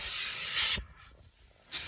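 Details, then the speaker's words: 1979 Kenworth W900A restoration on shop air: unconnected air lines venting as dash switches are worked, fifth wheel line, then diff interlock line; sharp steady hiss of escaping air cutting off and returning. "Okay, there was a few lines that I haven't hooked up yet. Yeah, there we go. Okay, so that was the line for the fifth wheel."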